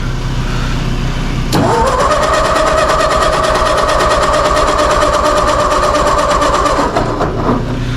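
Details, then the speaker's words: 2008 Mazda 3 on a very cold day, possibly flooded: starter churns steadily at three to four beats a second but never fires; crank no start, afterwards a couple of spark plugs found poorly gapped and re-gapped. "Still nothing. Okay, we're back. I just took those spark plugs out, and a couple of them weren't gapped very well."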